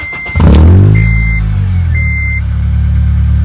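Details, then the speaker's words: Acura RSX after repairs and passing inspection, exhaust welded, no check-engine or airbag light: catches with a brief chirp, then smooth, steady low idle with no knocking or exhaust rasp; normal idle. "sounds so much better there's no check engine like there's no airbag light on everything's done so the exhaust is fixed they ended up welding the exhaust and listen to it so much better now sounds good"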